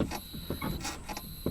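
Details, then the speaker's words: Kia EV3 GT Line S after one year, in reverse, mics in engine bay and cabin, accelerator wiggled: irregular dry creaks in short groups; owner suspects the brake servo mechanism, unconfirmed. "Anyway, from that recording you can hear clearly that I think it's the brake servo mechanism that's making the creaking noise."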